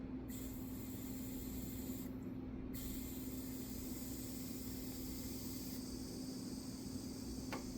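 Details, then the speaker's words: 1998 Nissan 180SX intake, pressurized to about 15 psi by an air compressor at the MAF connection after the intercooler was patched with JB Weld, gives a steady airy hiss as air escapes at the bottom of an intake hose. "Okay, so I don't know if y'all could hear that. It's leaking out of here now. Of course, this is bound to happen whenever you close one leak, another one's gonna open."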